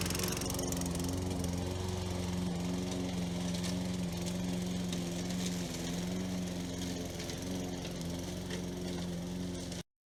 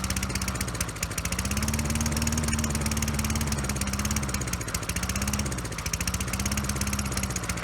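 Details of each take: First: Toro Recycler mower model 20016, after repairs (coil, cleaned carburetor, belt, blade adapter, drive cable), cutting grass under load: firm, even drone holding speed, no sputter or hunting, then a clean stop. It runs strong. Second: Toro Recycler 20016 mower before carburetor cleaning, smoky with oil in the exhaust: single-cylinder engine hunts up and down instead of holding speed. It runs lean and only with the intake covered, from a clogged carburetor.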